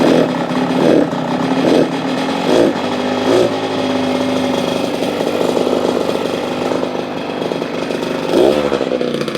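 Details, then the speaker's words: KX85 two-stroke after a crankshaft rebuild, revving in rough surges about once a second with raspy crackle and hunting; suspected lean, air screw found almost two turns out, jetting to be checked. "seems like it might be a little lean sounds like it might be a little lean so let's check the air screw"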